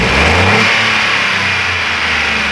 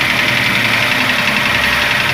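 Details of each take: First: Ford Ka 3-cylinder engine after repair and timing work: smooth even run rising and falling cleanly through the revs with no knocks or ticks; normal running and revving. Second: Ford Ka 3-cylinder engine at idle with an oil pressure gauge fitted: steady idle with a light fast ticking clatter on top; valvetrain clatter from low oil pressure, oil pump suspected.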